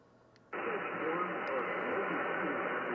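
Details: Yaesu FTDX10 HF receiver on 28.208 MHz, bypass with no filtering: a steady loud hiss over everything burying weak signals; noise about S5 versus S7 signals, caused by interference from the home solar power system.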